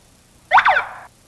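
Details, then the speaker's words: Code Alarm car security system: a single short electronic chirp confirms programming mode, entered by holding remote button 1 past three chirps for another 4 seconds, to change sensitivity. "press and hold button 1 on your remote you'll hear through chirps keep the button down for another 4 seconds and you'll hear one chirp"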